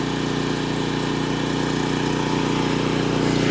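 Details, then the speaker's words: Generator with the camper air conditioner on: steady, even drone holding speed with no hunting or surging as the compressor kicks on. Normal running under load. "I got the AC on in the camper here. Hey, see? Just give it a minute for the compressor to kick on. See? That's it. There's nothing to it. It doesn't care."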